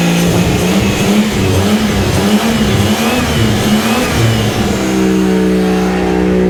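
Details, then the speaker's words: Toyota 2JZ swapped into a Mercedes, started again after two years of work, oil pressure confirmed: engine catches, revs a few times, then drops into a steady, even idle with no knocks or misfires; no leaks found; normal first start and idle. "did you hear how that thing sounds dude it's so cool it's so cool man I'm so stoked right now this motor sounds man"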